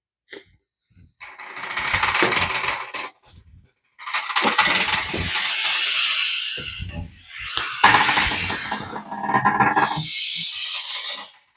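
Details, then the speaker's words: Reid 15 HP hit-and-miss engine that sat in a field for years, hand-cranked slowly. Long whooshing compression breaths in and out with no scraping or binding; the engine turns freely and is not seized. "You hear it breathing in and out. So it is free. That's a great thing."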